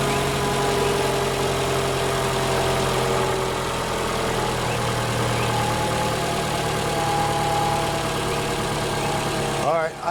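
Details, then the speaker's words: 2018 Toyota RAV4 idling after an oil change in which the plastic oil filter housing broke when its locking tab was not freed: steady, even idle drone with no ticking or stumbling, brief handling scrape at the end. It runs fine. "it sounds like it's running oh let me crawl under and see if anything's weak in here"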